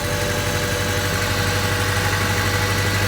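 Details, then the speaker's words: Honda Civic idling rough. Steady hum with uneven low thumping about four a second that never settles: rough idle. "that's your first place to check if you are running rough first place"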